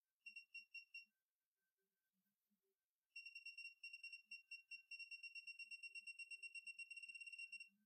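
Bright high beeps in quick bursts, then a long rapid run of about two per second as the wrench reaches its set torque.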